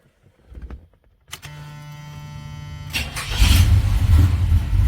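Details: 1978 Oldsmobile Cutlass after the starter solenoid was cleaned and lubricated, restoring 12 V: a click, a second of cranking, then the engine catches cleanly and settles into a steady, even run, starting and running normally.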